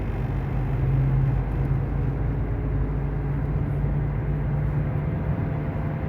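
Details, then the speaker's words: 2012 Dodge Avenger driving with a steady low droning rumble, apparently from the driver-side front; it changes as the steering wheel moves slightly. Caused by a worn front wheel hub bearing, before replacement. "déjenme lo sigo checando muchachos nomás quería que escucharan ese ruido este ruido rumba dor"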